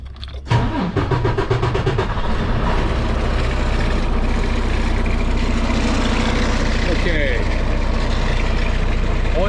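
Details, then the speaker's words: Diesel truck with coolant leaking from expansion tank, engine rebuilt about a year ago, cylinder head replaced a month ago, started in neutral: brief crank, short stumble, then steady low idle; hard start possibly a fuel issue, not confirmed. "one thing I did notice is when I started the truck it did struggle a little bit that could be a fuel issue entirely different than what's going on here right now"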